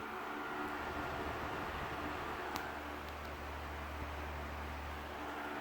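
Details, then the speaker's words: Mid-1970s first-generation Lasko (Galaxy) 3150 12-inch desk fan, Sanyo parts, oiled, running on high. An even, interesting whir over a low motor hum with no ticks, scrapes or rattles: runs smoothly. "and it makes kind of an interesting sort of whirring noise i really like the sound it makes"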